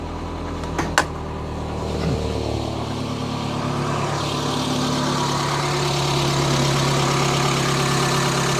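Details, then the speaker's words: Renault Clio 16v Grand Prix that has not run much in recent years, started at the engine bay: catches after a couple of cranks and settles to a steady idle with light ticking, owner attributes it to hydraulic lifters. "it sounds a bit tabid but I think that is down to the hydraulic lifters this car has not run for for that much the last few"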